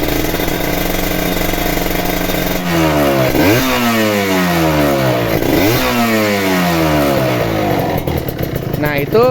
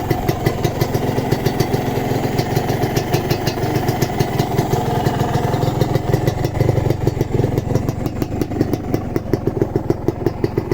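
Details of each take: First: Ninja two-stroke RR, revved from idle: crisp revs rising and falling with a faint, light, repeated ticking from the power valve kit, not the piston (a worn piston would rasp on deceleration); the engine is still considered worth buying. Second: Kawasaki Ninja two-stroke (the yellow bike), recorded at idle during an engine-condition check: crisp, even popping beat with steady rhythm and no rattling or knocking underneath; healthy two-stroke idle.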